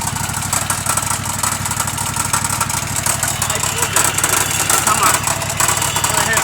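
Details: Exmark 60-inch mower engine running: a hard, rapid rattling knock about three times a second over a bright, clattery mechanical din. Loud engine knocking, source undetermined.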